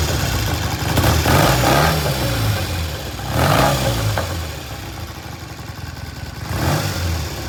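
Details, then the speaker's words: 1973 Triumph T100 twin after restoration: three clean throttle blips rising and falling smoothly back to a steady idle; road-tested, runs great with good throttle, healthy engine (separate oil leak from previously split cases). "okay we finish this bike up before I went on vacation uh as much as we can it starts runs sounds good um we road test it before I left and uh it's in it run it's nice it runs great good throttle"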